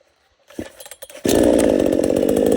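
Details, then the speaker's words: $97 Temu Chinese gas chainsaw cutting a storm-fallen pine log: fires and holds a strong, even high buzz with steady revs as it bites in, finishing quickly; running healthy. "hurricanes. Well, that took care of that pretty quick."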